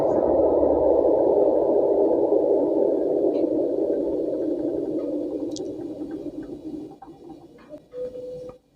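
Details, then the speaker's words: Panasonic twin-tub washing machine spin dryer, before capacitor replacement: low uneven rumbling, rattling spin that never picks up speed and fades, sometimes working, sometimes not; weak spin motor run capacitor. "Lihat, benda ini bergemuruh, tidak stabil, dan putarannya lambat."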